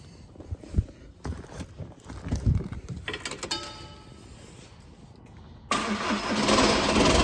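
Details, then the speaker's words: 2004 Audi A3 2.0 TDI (BKD) first start after timing belt and water pump replacement: long uneven cranking, then the diesel catches with a loud metallic rattle under the clatter from a faulty dual mass flywheel. "just see that spot on there it's just the that really loud rattling noise that you had to start with nothing to be worried about obviously yours shouldn't really sound like that it's just this is actually got a fault with the dual mass flywheel on it"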